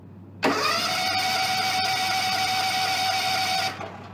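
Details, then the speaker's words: John Deere X300 rider with Kawasaki FH engine, 17 hours, after dead battery: with choke and throttle on fast, a steady starter whir with no firing; cranks but won't start, fuel shutoff solenoid plunger on carburetor suspected stuck. "start so what we're going to do CU I know what's wrong with it the little uh penal for the fuel shut off solenoid on the carburetor is probably stuck"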